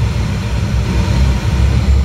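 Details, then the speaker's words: York burner test-fired after installing a White-Rodgers All-Spark universal ignition module: blower starts, pre-purge, sparking, then it lights. It settles to a steady, even low roar with no pops, flutter or surging, which is normal burner operation. "it has lit. These York burners are really hard to see the flame, but you can hear it. It's lit."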